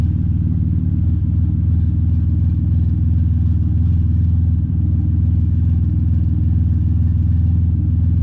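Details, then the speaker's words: Chevrolet Impala after exhaust repair: deep, even low rumble with steady beat, no rasp or hiss from leaks, much quieter than before; normal exhaust note. "so as you guys can probably tell it's a lot quieter for sure can hard hear it now"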